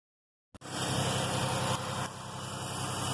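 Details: 2004 Oldsmobile Alero after a cylinder 3 misfire repair, with the stripped valve cover bolt threads fixed with an M12 insert and the spark plug reinstalled: silence, then the engine catches and settles into an even, steady run with no stumble; it's running clean.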